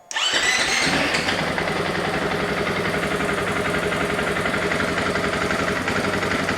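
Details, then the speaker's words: 2024 KTM EXC-F 500 dual sport, stock exhaust, just after air filter modification, before FMF muffler install; not revved. It catches within a second and settles into a steady, even single-cylinder idle with no knocks; normal idle. "Before I do the exhaust, I just want to start it up to see how she sounds. The stock exhaust, just giving an example."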